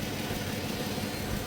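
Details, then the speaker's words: 2008 Dodge Avenger after the customer's head gasket and timing job, with the intake patched and the EGR blocked off with a gasket and unplugged: a steady, even idle with no misses, stumbles or hunting, just a smooth low hum; the intake patch is holding. "but she seems to be running pretty smooth. The patch on the intake is holding."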